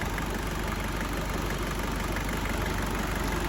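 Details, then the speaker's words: 1992 Isuzu Rodeo with a 3.1 turbo diesel from a 92 Trooper (JDM powertrain), 5-speed 4x4, chassis at 276k miles, just started: a steady, even diesel clatter at idle with no misses or odd knocks. The engine sounds healthy. "I'm going to fire it up and then we can listen to it all right I think really good Diesel"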